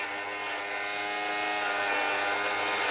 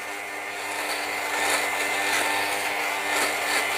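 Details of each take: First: Fabric shaver on a heavily pilled sweater (pills from tumble drying and wear): a steady buzzing motor with a light crackly cutting note, like a lawnmower over grass, shaving pills off normally. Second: i'll keep going until i don't really hear that crunching sound or that grinding sound that you hear see how it's starting to go down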